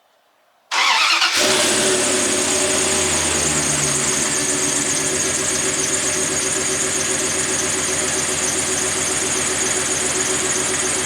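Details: 1998 2nd-gen Dodge Ram 1500 at cold morning start-up: loud steady high-pitched squeal over idle from a slipping serpentine belt, getting louder daily; belt and tensioner pulley to be replaced.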